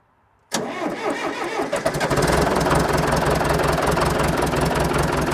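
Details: John Deere 450B dozer diesel, first start after engine removal, oil leak repair, new clutch and maintenance: cranks and catches cleanly, settling into an even diesel clatter at idle with no misses or knocks; normal start-up and idle.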